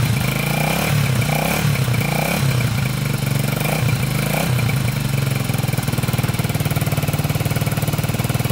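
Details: 1987 Honda 250X single with new valves and coil, 12:1 high-compression piston, tank not yet cleaned: blips up cleanly a few times then settles into steady even idle with no misses; normal idle and revving.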